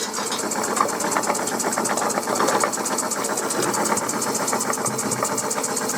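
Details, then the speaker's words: Coal-fired model steam puffer boat with faulty reversing valve removed, boiler piped direct to engine, 3-inch prop: fast even chuffing about ten beats a second, strong with no stumbles; running normally, some steam leaks. "It's big prop. It's 3in prop. It's going around lovely."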